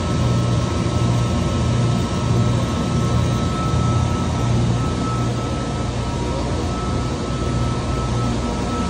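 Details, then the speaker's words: Trane 500-ton centrifugal chiller, star contactor: coarse low electrical hum with a thin steady high tone under the running compressor; the contactor magnet is hot and buzzing. "esto lo que tiene aquí este este lo que hac el Magneto con esta parte está sonando eh está caliente"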